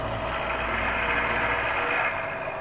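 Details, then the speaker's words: Milling a block for a Black Diamond drill grinder wheel-dresser base, taken slow; steady cutting roar with light uneven chatter as the nearly parted chunk rattles. "I'm still taking it slow. Can you hear that piece is rattling a bit?"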